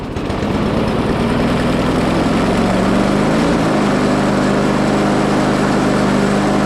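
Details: Lawn mower after oil change and refitting the forgotten spark plug: pulls up and settles into a steady, even drone with constant note and no misses; running properly.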